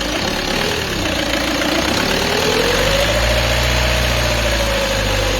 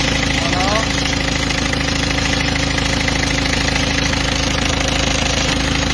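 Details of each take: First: Peugeot 206 2.0 HDi 90 at idle, shortly after a timing belt job: steady diesel idle with a clear whine that rises as revs climb slightly; the timing belt was overtightened, which risks premature belt failure. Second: Peugeot 206 2.0 HDi 90 after the overtightened timing belt was corrected, covers still off: steady, even diesel idle with no whine from the belt area; normal idle.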